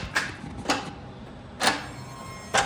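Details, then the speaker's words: Lamborghini transmission reinstalled with new E-gear system, nobody in the car: four sharp mechanical clicks a second or so apart as the actuator applies pressure to the selector, shifting itself during the self-learn so the computer knows which gear it's in. "and nobody's in the car but it sounds like it's shifting itself do you want to explain so once you put the new e-gear system on there you want to go through a self- learn process"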